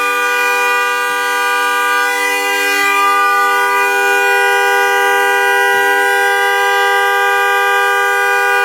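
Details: Car horn stuck on at 2:30 am on a freezing December night, not the alarm, continuing even with the car turned on: loud two-tone horn blaring without a break, never cycling; stuck horn, cause unknown.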